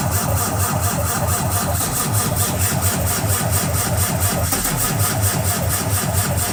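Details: Cummins ISX15 diesel, cold: steady even cranking chug with a deep low thump on every compression and no sign of catching; cold crank, no start.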